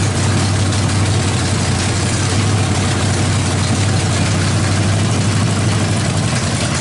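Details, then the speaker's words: Freshly fired 350 V8 with a big cam, no exhaust fitted yet, timing likely needs slight adjustment: loud, lumpy, choppy idle, even and strong with no knocks or misses. "that sounds bitching uh probably going to need to set the timing just a little bit"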